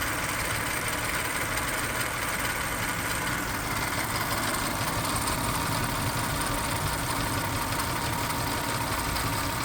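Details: Toyota 3.4 5VZ-FE V6 after head gasket replacement with OEM kit and machine-shop-rebuilt heads: rough, uneven idle with a lumpy, stumbling beat; misfire, cause not pinned down.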